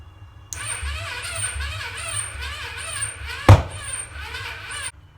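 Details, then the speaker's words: Yamacart engine after coil swap and spark plug fix, cranked on old weak battery: sluggish labouring crank with slow rising-falling rhythm and thin starter whine, never catches; owner suspects it needs a new battery. "It needs a new battery."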